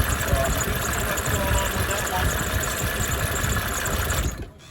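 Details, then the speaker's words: 1987 Mercedes 300 SDL, OM603 diesel, freshly fitted remanufactured alternator replacing one with no charge: idle clatter with a thin steady high squeal/chirp that wasn't there before, stopping with the engine; squealing alternator. "I just changed the alternator. It had no charge, so I had a remanufactured one here in inventory and it squeals like a son of a gun, as you can hear in a moment."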